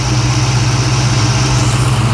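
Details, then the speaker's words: SVT Cobra V8 cold start with new battery, microphone held close under the hood: smooth steady idle with even low rumble and no ticking from the top end; earlier suspected tick absent, slow start thought to be from insufficient cranking. "i don't hear any tick i don't know in that first video what it what maybe it was but there's definitely no tick"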